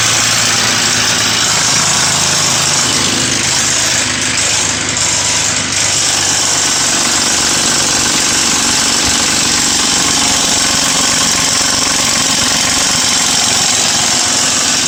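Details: Ford Mustang 4.0 V6 at about 120k miles at idle, hood open, sound at engine front: constant bright tinny chatter; owner almost certain of a broken timing chain cassette guide, engine being replaced.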